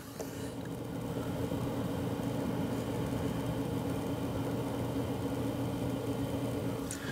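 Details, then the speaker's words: Yeston Zeaginal ZC-ZEUS XT 360mm AIO cooler pump, three-pin so always at 100% speed, on a Ryzen 9 5900X system: only a soft, steady low hum with a faint high whine; pump very quiet and healthy. "and as you can hear you can't really hear anything so it's very quiet"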